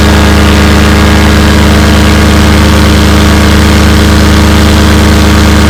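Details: Fresh Breeze Monster paramotor, back from repairs, full-thrust run against a house wall: loud, steady high-rev drone with no burbles, misses or surging, a little bang at the end; healthy full-throttle run.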